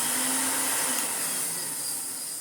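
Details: Electrolux Dolphin Silver Electronic 1000 Z2225 vacuum before refurbishment, motor running: thin high whine and rough hiss; owner suspects worn rear sleeve bearing, unconfirmed; vacuum motor bearing noise.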